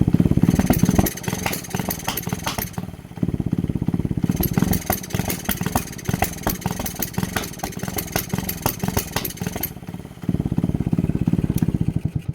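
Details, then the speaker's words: Honda Grom clone single-cylinder, on 94-octane fuel: uneven idle, stumbling and missing, nearly dying twice before recovering; started only after fitting a knockoff ignition coil, which owner suspects. "Once again, it only started running like this once I changed to the knockoff goddamn Nibby ignition coil."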